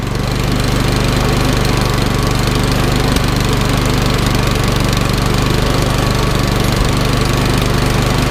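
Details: Troy-Bilt Storm 2410 snowblower, Powermore engine, after sitting all summer with stale gas and an idle screw adjustment, now warm: loud, steady single-cylinder drone with no surging or misses; running smoothly.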